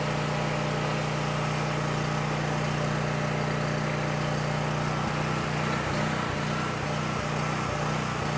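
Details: Coleman Powermate 6560 generator, after the fix for running only on choke (carburetor gaskets had been in the wrong order; oil was overfull and smelled of gas), with a 1000 W heater connected but switched off, while the bolt is adjusted toward 60 Hz at 120 V: steady hum, firm unwavering beat, no surging or hunting; normal running.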